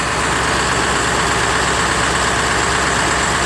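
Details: Diesel Rhino with a slow, hard cold start in chilly weather, fixed with new glow plugs: after a cold start on one glow plug cycle, it settles into a steady, even, clean idle clatter with no misses or stumbles.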